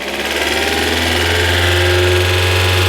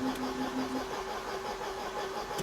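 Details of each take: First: 1994 Mercedes W202 C220 starting after starting spray, with the fuel pump not activating at first: the engine settles to a fast, steady idle that won't drop; the idle speed is too high and the cause is unknown. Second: 1994 Mercedes W202 C220, long unused, cranked briefly with spark plugs removed to build oil pressure: short light even starter whirr without compression beats, fuel pump also audible.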